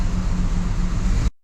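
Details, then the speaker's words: 2005 Isuzu SUV idling after misfire diagnosis and the MAP sensor plugged in, codes cleared: deep, even rumble with no stumbles. Running about five minutes with no misfire code returning. Normal idle. "so it's been running for about five minutes and hasn't thrown a code yet"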